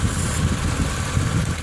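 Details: Engine idling after ABRO belt conditioner sprayed on the drive belt in winter: short stretch of low, even idle rumble with the high-pitched belt squeal gone.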